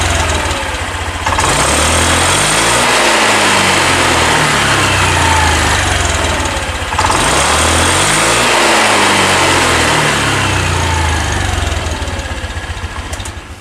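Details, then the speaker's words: 2020 Honda Beat scooter, fuel-injected, weak and topping out near 60 km/h: smooth idle but each throttle blip climbs lazily over a second or more, rpm hard to raise; caused by incorrect injection altitude mode setting. "Oke jadi setelah misinya hidupkan suaminya halus dan saya gas itu saya geber rpm nya sulit untuk meningkat"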